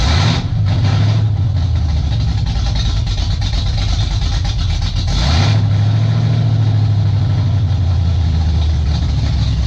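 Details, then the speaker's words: 1995 Ford F150 with a 347 stroker, freshly built and just running with oil pressure: a low, uneven V8 lope at idle that sags as if about to stall, then catches; the carburetor still needs adjusting and the engine had boiled some gas. "There's oil pressure. Yeah, you kind of hear it right there. It wants to stay running."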